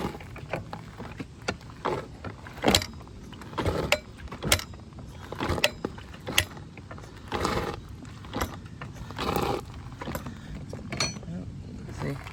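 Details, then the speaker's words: Honda CRF250R dirt bike, hard to start, engine not running: uneven metallic clanks about every two seconds with each kickstart; owner hears it only when kicking or putting in gear, not when running; cause unknown. "I hear that clanking noise. I don't know what it is. It only does it when you're kicking it or when you're trying to put it in gear."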